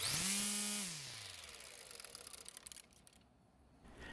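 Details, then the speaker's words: Greenworks battery electric trimmer fitted with a universal trimmer head, coasting down: the motor whine fades with rapid slapping ticks slowing in step. The line seems too long and hits the plastic guard, sitting out of plane with the cutter. "as you can hear it would seem that the line is too long and hitting the plastic guard"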